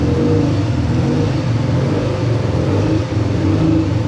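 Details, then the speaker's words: A freshly rebuilt naturally aspirated 13B rotary in an RX7 FC, after a TPS and idle system adjustment, holds a steady, even burble at idle on its own with no stumbling or hunting. "All right, y'all. Check it out. I finally got it to idle on its own."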